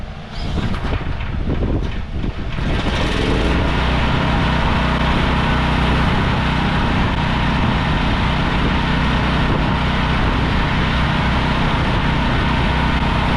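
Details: Briggs & Stratton 5,000 W generator that sat in a field, after a carb cleaning and oil top-up: rough and smoky for a few seconds, then a steady, even drone with no hunting. Normal running.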